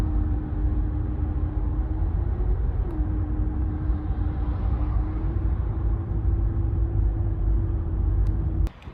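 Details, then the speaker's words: 2015 Renault Megane 3/Fluence 1.5 dCi diesel coasting off throttle, before repair: steady mid-pitched drone over engine rumble, caused by the stiff original fuel return hose; the fix is a softer replacement hose. "Şimdi şöyle biraz daha net duyuracağım Şu an ciddi bir ultu sesi var gaz vermiyorum"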